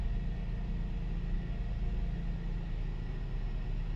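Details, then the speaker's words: Mercedes SLK 350 (R171) petrol engine after replacing a faulty ignition coil to cure a misfire: smooth start settling into an even, steady idle with no stumble, where it previously vibrated; normal idle. "wait until the engine goes through its warm cycle and we'll see if that idle holds steady that's a lot better it feels smooth as before i could feel it vibrating uh in my seat"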